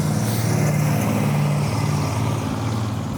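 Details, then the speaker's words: Restored 1972 Dodge Charger Rallye V8 after complete restoration with reconditioned radiator, new AC condenser, replica original hoses; deep even rumble with steady beat under light throttle, no ticks or misses; said to sound and run good: normal running. "Wow, that looks new. I think it sounds good. It does sound good, yeah."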